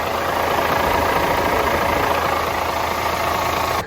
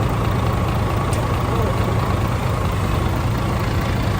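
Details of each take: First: DAF CF85 Euro 6 truck diesel idling after inlet camshaft and rocker arm replacement. A constant airy hiss over the idle stops at shutdown. It was traced to a boost leak: a split O-ring and split gasket on the intercooler-to-turbo pipe, to be replaced. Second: DAF CF85 Euro 6 diesel after top-end knock repair: worn inlet camshaft, rocker arms, engine brake replaced, tappets adjusted, fresh oil; steady even idle, deep low rumble, no knocks or misses, slight exhaust blow to trace. Normal idle.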